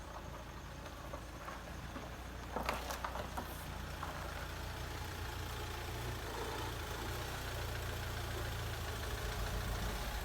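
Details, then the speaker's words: Mahindra XUV500 diesel after full engine overhaul (pistons, rings, bearings, head, valves), break-in running; even steady idle with low smooth rumble, no knocks or ticks; no noise, normal idle. "तो हमारी car start हो चुकी है, इसमें कोई noise नहीं है।"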